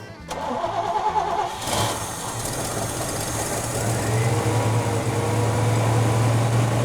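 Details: 1968 GMC truck that sat for 30+ years, first start in years: starter churns at about three and a half beats a second through long cranking, then it catches and settles into a steady, rising idle.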